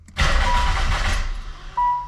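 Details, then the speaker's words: Nissan 300ZX with aftermarket no-name injectors and taped refurbished harness, in neutral; catches with a rough burst, runs unevenly and dies within a second, then a chime; too much fuel suspected, TPS and timing already checked. "it literally won't even [Music] start 0 to 2500 [Music] instantly okay we've definitely got uh some other issues to deal with"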